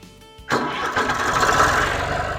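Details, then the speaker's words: 1971 John Deere 920 diesel tractor, cold start after over a week unused, being repaired for fuel leaks; brief crank then immediate catch into steady, even idle. "Just like that, it cranks up. This tractor is absolutely amazing."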